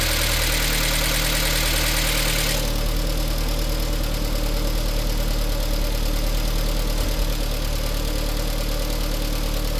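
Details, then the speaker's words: VW Lupo 1.6 first start after cylinder head rebuild and head gasket replacement (oil contamination): light fast ticking about three per second over steady idle; hydraulic lifters still filling with oil. "vamos a dejarlo trabajar un rato ese sonido se escucha puntería esperemos que se cargue"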